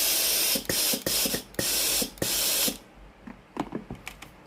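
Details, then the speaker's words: Philips PSG7014 steam iron, brought in for no steam output, with its water/steam button pressed: loud hissing steam bursts with sharp valve clicks. The fault found was an electrovalve with a broken coil. "สังเกตนะครับเวลาเรากดปุ่มจ่ายน้ำนะครับจะได้ยินเสียงวาล์วน้ำทำงานนะครับเสียงดังแจ๊กๆนะ"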